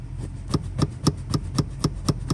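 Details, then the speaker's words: 2001 Civic K24A auto-to-manual swap: sharp metallic knocks about four a second, each a hard bare-metal clank, as the clutch pedal hits the metal on the firewall without a stop pad. The fix is installing an S2000 pedal pad in that hole. "noise when it hits the metal on the firewall. So we're gonna get that plugged in there, and then we'll never hear that again."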